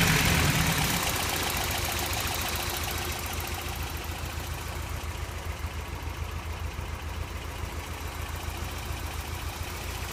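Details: 1989 Toyota pickup 4x4 with 22RE four-cylinder idling with a light steady tick, about three to four a second; owner suspects noisy valve or possibly rod knock, unconfirmed; codes 25 and 26 present.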